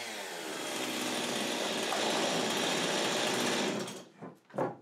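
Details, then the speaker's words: Husqvarna 55 chainsaw, 12 years old, which last fall started poorly, stuttered and stalled; after reassembly (no spark seen when tested) a steady, even high-pitched buzz holds about four seconds with no misses, then cuts out; runs clean. "but when I put her back together it starts in her runs good doesn't miss"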